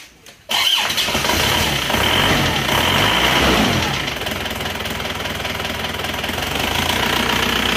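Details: Isuzu Panther diesel after rebuild for blow-by caused by coolant loss, with cast liners and old pistons: cranks and catches within half a second, revs a few seconds, settles to smooth even idle; no smoke, oil filler breathing fine.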